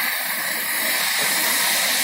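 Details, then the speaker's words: Dented 2-stroke expansion pipe being blown out with compressor air pressure and torch heat: continuous sharp, high hiss of air escaping through a small hole burned in the pipe wall; needs a small patch, possibly brazing. "See it? Blowing the torch. Right there on that hole. Good news is I feel it coming out."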